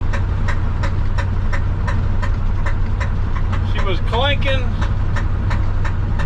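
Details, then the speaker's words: 1968 Ford F100 at idle: sharp, regular knock about three times a second over a steady low idle; owner says it was not the water pump, cause still unknown. "she's knocking. I believe I can say it was not the water pump."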